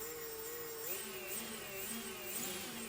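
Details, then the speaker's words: Quadcopter on the desk with propellers off, motors idling right after arming in Betaflight default setup: light, steady high-pitched whirring that wavers slightly; normal armed motor idle. "now this situation that we've got here when the motors spin up when we arm it this is the default Behavior"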